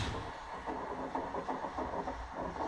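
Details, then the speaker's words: Window AC not cooling, hot-wired bypassing the control board with dual capacitor, fan speed wire not yet connected: low compressor hum with light rattle, no fan air rush; compressor runs while the condenser fan stays dead. "it off. Sounds a little weird. But we had no fan."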